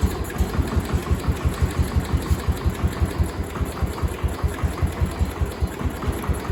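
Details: Cub Cadet 1250 hydrostatic single-cylinder engine, first start after sitting about 20 years under a barn shelter, after more fuel was added and debris blew out of the exhaust: steady, even low thump around three beats a second, quiet, no smoke, no misses; normal idle.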